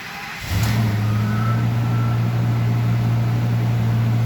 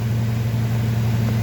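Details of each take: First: 2005 Ford F250 6.8L Triton V10 3-valve, 599,000 miles, after repairing coil pigtail for P0354 misfire: starts and settles into steady even low idle, no miss — normal idle after repair. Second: 2005 Ford F250 6.8L Triton V10 3-valve at 599,000 miles that won't accelerate: deep, slightly uneven idle with a shake from a misfire. Code P0354 points to the cylinder 4 ignition coil circuit.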